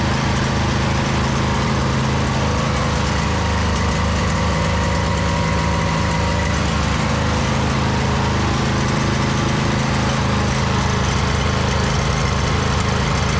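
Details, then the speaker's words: 2008 Husqvarna YTH2242 with Briggs V-twin, after the bent push rod and exhaust valve repair, with good even compression on both cylinders. A steady, even engine thrum at constant speed with only a slight surge; running normally. "just sorted itself out. Slight surge in there. Not bad though."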